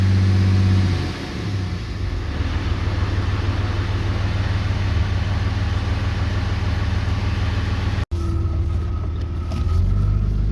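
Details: 2013 Ram 3500 6.7L Cummins diesel revved to 2,000 rpm after repair: deep steady drone with no fan roar, the fan clutch no longer locked up all the time and the truck no longer sounds like a jet taking off.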